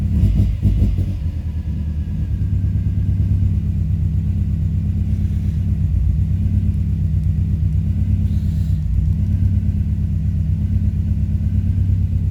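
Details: 2005 Subaru Forester XT after an idle adjustment; codes show a blow-by function problem and a P21xx code, owner concerned about blow-by, earlier a coil miss and suspected rich running. Low, uneven idle rumble with an irregular lope and wavering beat; rough idle, cause unknown.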